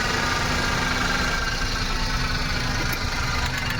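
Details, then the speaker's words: Maruti Suzuki WagonR misfiring on CNG but fine on petrol, air filter removed, at idle: a light, fast tak-tak tick over a steady small-engine idle; suspected faulty CNG injector. "आपको video में सुनाई देता रहेगा की आवाज आ रही टक टक टकटक टक टक कर एक आवाज आ रही है वो इसकी शायद से इंजेक्टर की आवाज है सीएनजी का इंजेक्टर का"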